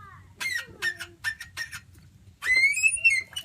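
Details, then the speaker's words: Gravely 814 engine turned by hand after freeing up from seizing: short high, dry squeaky scrapes at one spot each turn, metal on metal; owner suspects a bearing, possibly rings. Cause unconfirmed. "Ooh. That is definitely the sound of metal on metal. And why do we have that sound is the question. I have a feeling it's a bearing."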